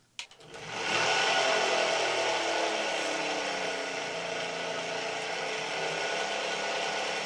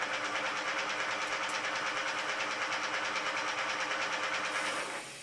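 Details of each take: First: 2018 Puch Dance e-bike, Bafang G32 hub motor (likely G320), bought defective: with the wheel spinning, a loud steady drone with a high whine. It rolls freely forward but is stiff backward, and the owner suspects the stator bearing; nylon planetary gears were later found broken. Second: Repaired Bafang G32.250.R-C hub motor, 2018 Puch Dance e-bike, nylon planetary gears replaced, spinning unloaded: steady high whir with a light even rattle that only occurs without load, absent when cycling; motor now runs normally.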